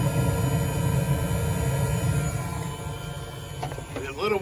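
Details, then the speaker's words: Espar hydronic coolant heater on a truck, switched off after running about 50 minutes to an hour: low burner rumble fading steadily over a few seconds as it cycles down, a normal shutdown. "so if I had a push-pull switch I just push a button and that would stop it you can hear it cycling down"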